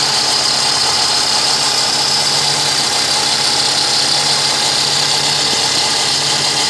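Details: Fiat Uno petrol engine idling evenly under a steady high-pitched whine of constant pitch; the owner cannot find its source.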